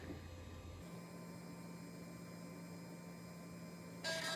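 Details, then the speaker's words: Old Western Digital hard drive, blank with no operating system, spinning up: steady faint spindle hum with a short burst of seek chatter near the end. Normal spin and seek. "the sounds of these old Western visuals they just sound so nostalgic for some reason"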